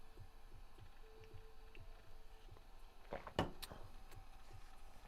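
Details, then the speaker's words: 1991 Dell 320n laptop running Windows: hard drive crunching away, soft rhythmic ticking with short chattering seek bursts under a faint hum; normal old drive reading files. "I can hear the hard drive crunching away. I wonder the hard drive has to be from like that era."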